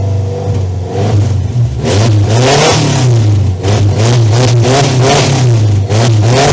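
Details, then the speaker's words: Van with a freshly installed 2-litre engine that sat about 18 years, first start after fixing the intake, oil old and low: loud, uneven revving that surges and dips. Rough running needing fine tuning; the cause is not confirmed. "Let's see if this thing fires up. Oh. I don't think this feels extremely good."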